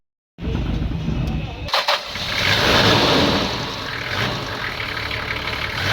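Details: Toyota 1HZ diesel engine after fuel injection pump repair for hard starting: short crank, catches cleanly and settles into a steady, even diesel idle with no misfire or stumbling.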